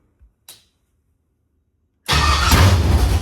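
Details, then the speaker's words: First start of a carbureted LS V8 in a Fairmont on open headers (1-7/8 in primaries, 3 in collector), fuel pump off because of carburetor leaks, float bowls filled, about 40 psi oil pressure: a quick crank, then a loud, lumpy idle with strong cam beat. It started easily and idles normally. "But, as far as a first fire up, I couldn't be happier. I'm thrilled. The It It sounds really good. It's It has good cam shaft sound."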